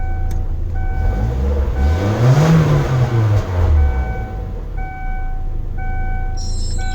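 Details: Car after replacing both vacuum-related sensors and clearing the code: engine swells from idle to a strong rev and settles back smoothly, steady beeping in background; sounds healthy.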